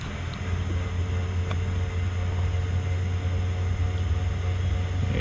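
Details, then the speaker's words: Vehicle with a no-start and no communication, checked with the 60 A ABS relay reinstalled: a steady low electric hum runs on without changing pitch, as if the ABS module or pump runs constantly; suspected, not confirmed, and the car still doesn't start. "it sounds like the abs module just constantly running with this but let's see if we can get her start"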